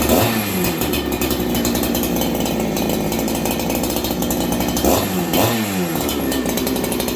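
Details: Husqvarna 288XP clone saw (ported, mostly OEM parts, Farmertec kit) on first run after assembly, after choke: fires up readily, steady buzzing run with a couple of clean throttle blips; running healthy.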